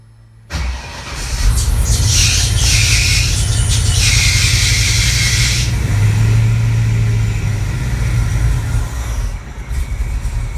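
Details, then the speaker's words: Clevor V8 on new DIY headers with catalytic converters, first test start, coolant about 70 degrees: brief crank, then a deep, even, fairly quiet rumble with no knocks or rattles; normal startup and idle. "All right, so here goes. Time for the first test start. She's gonna be quiet."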